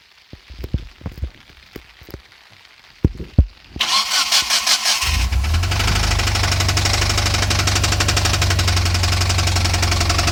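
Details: Mitsubishi Lancer Evo IV: a few loose clicks, then the engine cranks, fires and settles into an idle with a steady, strange rhythmic knock.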